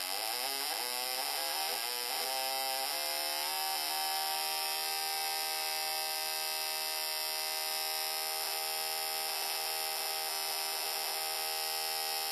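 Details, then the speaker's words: GM coil-near-plug ignition coil (Yukon D-585) bench test, 12 V with control signal, 5 ms dwell, plug gap about 0.130 in, RPM cranked up: spark buzz climbs in pitch then holds a steady high whine with rapid even snaps, coil firing cleanly. "Okay, last test we're going to do, is just for fun, is we're going to crank up the RPM to see how this coil reacts to that. 5 milliseconds dwell."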